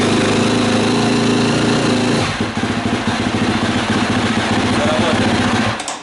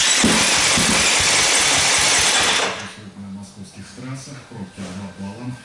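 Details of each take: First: KTM 250 SX-F single after cylinder head repair; intake valves no longer leak fuel poured in the intake. Steady high rev, then drops to an even, quick-firing idle with no misses; runs normally. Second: KTM 250 SX-F four-stroke single won't start. Starter spins it fast and light for about three seconds with no firing; low compression from leaking intake valves, confirmed by compression tester before head repair.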